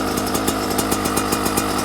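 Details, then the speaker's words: 2024 Yamaha YZ125 two-stroke with persisting jetting issues, idling: light popping beat about seven or eight a second, soft and slightly lumpy, sounding like it is dying; weak idle near stalling, cause suspected jetting. "like it was dying so let's try it"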